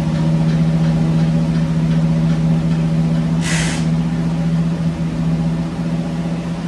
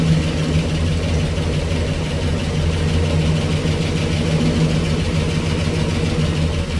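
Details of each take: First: 1965 Cadillac Coupe DeVille, off the road about 15 years, oil not yet changed, on jack stands, shifted into gear (only reverse engaged): steady, smooth drone with no hunting at a brisk speed; idle too high. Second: 1965 Cadillac Coupe DeVille V8, sitting 15 years, first start with Flowmaster exhaust, fuel delivery still being sorted: deep steady idle burble, no knocks or ticks, possible small exhaust leak, some smoke; normal idle.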